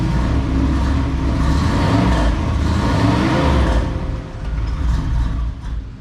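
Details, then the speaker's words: 1990 Cadillac Allante V8 runs with a low, uneven rumble, then sags and stalls after starting; no check engine lights are on, and a fuel-related issue is suspected but not confirmed. "right well she's gonna keep stalling out but that's okay you can hear that she runs and we're assuming that it's probably a fuel related issue"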